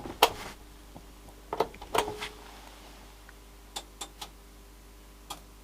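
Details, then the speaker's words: 42-inch Panasonic TH42PV60A plasma TV at power-up: about seven sharp, irregular clicks in six seconds over a quiet background, relays engaging normally, possibly in standby. "I got some clicker noises and that's about it typical plasma but it might be in some sort of standby or something"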